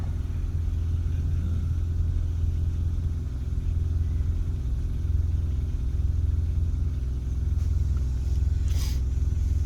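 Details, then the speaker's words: 2016 Hyundai Veloster DCT Turbo GDI, fully warm, after a CRC intake valve and turbo cleaner treatment. It gives a steady deep idle rumble with an even rhythm, no stumbles or surging and no warning light. Normal idle. "all right idle seems pretty good"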